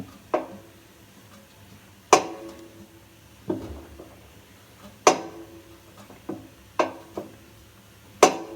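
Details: Samsung washing machine drum: sharp single clunks every one to two seconds at uneven spacing; knock began a year ago after drum spider replacement and has grown slightly; owner suspects bearings, unconfirmed.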